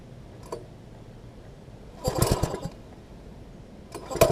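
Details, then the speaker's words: Old MTD front-tine tiller with fresh fuel, tank two-thirds full: weak, uneven run with ragged spits and sputters, as if over-choked; cause found to be throttle linkage hooked up wrong at the carb, runs great once fixed and adjusted. "As you can hear, it sounds like it's just spitting and sputtering."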